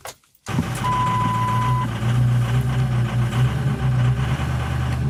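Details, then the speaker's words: Diesel truck starting in about 20°F Maryland cold after glow-plug cycling; the first attempt failed because it was too cold for the diesel to fire. It catches after a pause, then a lumpy, uneven clatter with a chime beeping. Hard cold start, rough cold idle. "All right, so you guys heard that it tried to start and then it said, no, thank you. That's because this thing is so cold that the diesel is not able to pop off."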